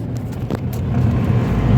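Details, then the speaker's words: Car test drive in fourth gear after slipping in first to third: engine drones up and keeps climbing without the car pulling; clutch slipping, needs replacing soon or flywheel and pressure plate may be damaged. "Engine का speed सुन रहे हो और गाड़ी का speed देख लो कैसा है। भाई ये क्लच खुलेगा। यह क्लच स्लिप मार रहा है।"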